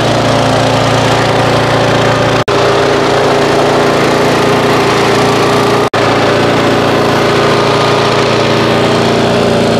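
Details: Auto-choke single-cylinder mower, stored 5 months on ethanol-free fuel without stabilizer, about 30°F, started after roughly 30 pulls; owner suspects auto choke caused hard start: steady, even drone at constant speed, no surging or misfires; normal running.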